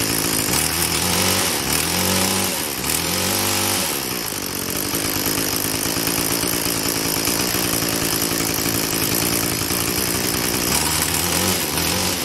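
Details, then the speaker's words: Craftsman Incredi-Pull 316.791810 two-stroke trimmer running at no throttle after a carburetor kit rebuild, new gaskets and carb adjustment. A high buzzy note wavers for a few seconds, then settles into a steady, even idle: normal idle. "So it took a little while, but I finally got it to go."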